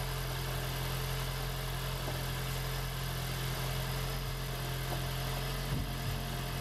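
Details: 2016 (4th-gen) Prius engine freshly swapped into a 2012 Prius V; engine cranked over unfired at steady speed, no combustion, to build oil pressure before first start. Oil pressure reached.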